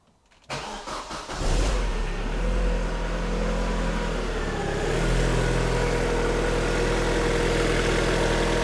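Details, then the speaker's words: Vauxhall Zafira GSI, rebuilt Z20LET, first start after a balance shaft delete meant to cure a rattle when cold, with a fresh oil fill and new filter: cranks, catches within a second and settles into an even idle without knocks; no oil leaks. "all seems a-okay so i think that's going to wrap this episode up we're all up and running and all the oil has stayed in so that's a good start"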